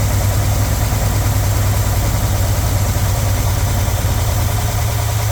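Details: Small-block Chevy 350 with roller rocker arms in a 1977 GMC Sierra Grande, idling just after a valve adjustment (valves had been too tight): deep, steady V8 idle with even low rumble, no misses or knocks; normal idle.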